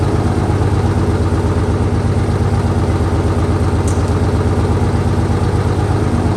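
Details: 1968 Dodge C500 truck on a day about 15° colder than before, started after a shot of starting fluid and a jump from an extra truck; deep steady idle thrum, even beat, no stumbles or knocks; normal idle.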